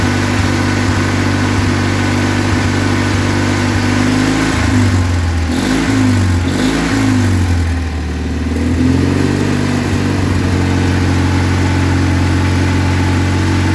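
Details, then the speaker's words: Kohler Magnum 20hp engine, after sitting neglected for a couple of years, running after new oil, air, oil and fuel filters, muffler refitted: steady idle that revs up and settles back evenly without misfires or knocks; normal idle. "well that started pretty easy and sounds pretty awesome i was able to go and put the muffler back on it so it wasn't a straight pipe because that would have been loud it seems to run really nice"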